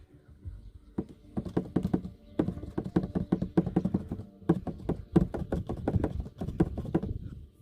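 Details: Lexus 350 driving over bumps: quick hollow plastic knocks in uneven bursts from the rear right, heard for about two months; cause found to be a loose rear tail light clattering in its mount.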